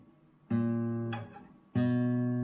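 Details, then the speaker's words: Classical nylon-string guitar converted left- to right-handed, bass-side nut slots now under treble strings: plucked notes ring with faint rattly buzz on A string and also E string; string buzz, nut slot depth, likely fix by shimming nut. "hear it where we we don't have it there and the E string has got a little buzz on it too so we probably going to have to remove the nut and put a little shim under that"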